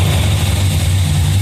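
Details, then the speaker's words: First start of a budget cammed 5.3L V8 on a rough base tune, revved a few times: deep, steady rumble with no tapping, knocking or clatter; engine sounds healthy. "well it's not fully tuned but it's running on the tune he threw in it uh everything sounds good no knocking no clanging no banging uh reved it a few times"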